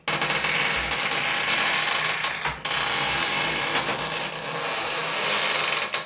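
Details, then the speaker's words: Old wooden crib converted to a laundry drying rack: loud continuous high creaking squeal while folding, from dry, binding wooden hinges that need waxing. "It's like the world's worst haunted house. Listen to that squeaking. I should have probably waxed the wood on those hinges."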